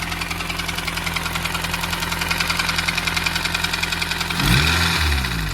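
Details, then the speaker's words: 2003 Honda Civic Si (EP3) engine due for replacement, idling with a steady rapid ticking knock about three to four per second; it is unclear whether the knock is top end or bottom end. "There she is, guys. You probably hear her knocking."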